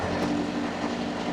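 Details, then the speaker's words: Steady diesel drone with a constant mid-pitched hum, no knocks or surges, from a two-compartment reefer in continuous mode, rear box C2 set to 15 and front C1 to 6 degrees; noise drivers sleep with; normal running. "Có tiếng ồn. Bạn thấy đấy, chúng tôi luôn ngủ với tiếng ồn này . Nhưng thôi, chúng ta đã quen với tiếng ồn rồi, bạn đã quen với nó rồi,"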